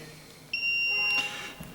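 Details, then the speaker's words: RCBO trips when phase is taken from its output and neutral from its input, then sounds its leakage-fault alarm, a shrill, steady beep near 3 kHz lasting under a second. "Yani fazı çıkışından, nötr girişinden aldığım zaman içerideki mekanizmam benim açma verdi ve şu anda da arıza sesini duyuyorsunuz."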